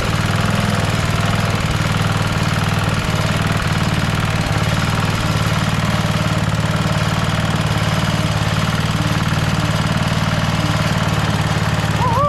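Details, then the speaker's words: Rover Ranger ride-on mower idling in neutral after no-spark repair (points cleaned and gapped to 20 thou, coil gap set, flywheel cleaned, carby serviced): steady, even single-cylinder putter with smooth unbroken beat; idling cleanly, runs like a beauty. "so there we have it a long last part four is finished we've got the mower started it runs like a beauty"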